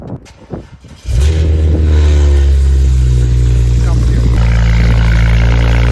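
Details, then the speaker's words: BMW E92 335i twin-turbo N54 with downpipe, revved: rough uneven stumble about four pulses a second, coughing on every rev; blue smoke and oily exhaust, burning oil; cause not confirmed. "And on top of all that, the car literally coughs every time I rev it."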